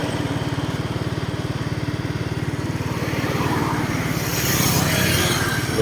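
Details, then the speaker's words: Suzuki Smash FI motorcycle on a road test after replacing worn clutch shoes that caused judder and jerky take-off; steady even thumping with wind noise building, now running smoothly with no shaking. "โอเคครับวิ่งดีเลยนะครับผมไม่มีปัญหานะครับผมวิ่งไม่สั่นนะ"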